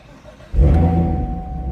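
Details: 2016 Camaro SS started after a 2017 ZL1 push start button was installed: a quick crank catches at once into a strong rev, then settles to a steady, even idle. It is a clean, healthy start.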